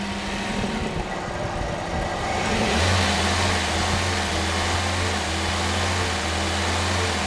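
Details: Toyota Corolla engine swap, hard to start after restart: rough running, then revs jump and hang unevenly instead of settling to idle; faulty temperature sensor or wiring suspected, not confirmed.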